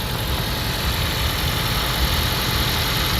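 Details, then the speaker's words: 2014 Toyota Prius V, 1.8 L, 167,000 miles, with startup noise, a growl when pulling away, and a check engine light: loud, uneven, shaking idle, running rough. Cylinder compression reads equal, block test shows no coolant; cause unconfirmed. "This thing's running really rough. Really loud noise when I started it."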